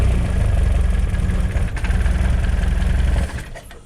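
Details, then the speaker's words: Peugeot 205 GTi Mi16 after a new inlet manifold gasket and clamping for a suspected air leak: a slow, slightly uneven petrol idle thumping about three times a second, off the map and a little low. Idle adjustment or mapping is still needed. "I think just going to adjust it a little bit. It's just a little bit low."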